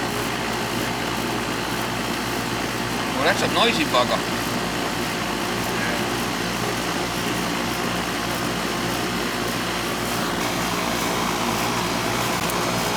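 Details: Central AC outdoor condenser on R22, not cooling like it used to, about 75 degrees outside: steady loud hum with a coarse rushing roar, running rougher and noisier than a healthy unit; suction pressure being watched.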